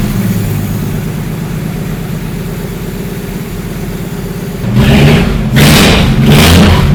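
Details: 1954 Willys Jeep truck after valve-train work: smooth, even idle with clean throttle blips rising and falling freely, no misses or knocks; it smokes, possibly rings not yet seated.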